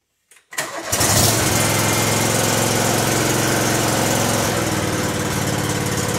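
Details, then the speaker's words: Cub Cadet 3205 tractor with a 20 hp liquid-cooled Kawasaki twin starts quickly and idles evenly with no knocks: the engine is healthy. The fault lies elsewhere, as the hydrostatic drive won't move the tractor. "3205 with a 20 horse liquid cooled kawasaki engine i'll show you that it starts and runs just fine"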